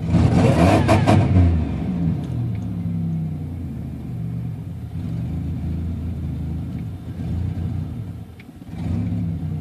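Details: Buick Regal GSE with 10.5mm wires, OBX headers, NGK TR6 plugs, ZZP 1.0 PCM, 3.4 pulley: cold morning start, uneven stumbling rumble with irregular pulses as revs settle; ongoing misfire, cause unconfirmed.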